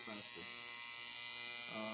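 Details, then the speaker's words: Newly assembled, never-used coil tattoo machine with rubber bands fitted, running at about 7–7.5 volts; fast, even high-pitched buzz with steady tone, no stutter: running smoothly and well tuned. "Right there, I'm running at about 7 volts, 7.5 volts, so that's pretty good."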